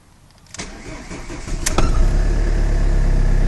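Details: 2002 Ford Focus 1.8 TDCi diesel, first start after replacing the alternator (worn brushes) with the battery just put in, heaters and lights off, out of gear: brief crank, catches and settles to a steady even idle with no knocks; battery light goes out, normal start.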